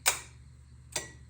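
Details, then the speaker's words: Mitsubishi 3000GT VR4 with AC clutch relay jumped via alligator clips, sparking on removal: two sharp clicks about a second apart over a faint low hum, the compressor clutch engaging cleanly as it should. "Sparks every time I take it off, but you hear the clutch engaging, so you know that it works."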